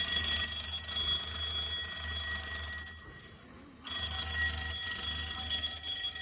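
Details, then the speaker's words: Home-built Fire-Lite MS-9200UD fire alarm system: high, steady bell ringing cuts out briefly and returns after a System Sensor i3 smoke detector near the water heater slowly tripped the panel. Fire alarm sounding after smoke detector activation. "Okay, maybe System Sensor doesn't make the best smoke detectors because my goodness, they take a while."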